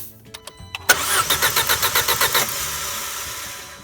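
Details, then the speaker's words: Audi/VW 1.8T/2.0T with an intermittent P0301 cylinder 1 misfire, cranking with the fuel pump fuse pulled for a compression test: even cranking beats of about seven a second. Cylinder 1 reads about 125–130 psi on three tries, so compression is healthy. "this time it's about 130 125 so all three readings were great they were at 130 almost on dot all of them"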